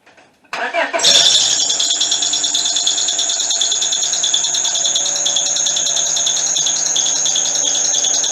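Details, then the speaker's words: 2001 Honda Accord four-cylinder: loud, steady high-pitched squeal over the idle from startup; belt is tight, the alternator bearing or the belt itself is suspected, not the timing belt. "all right so uh there's two possibilities in my opinion here you either have an alternator bearing going out on it or the bell itself is going out"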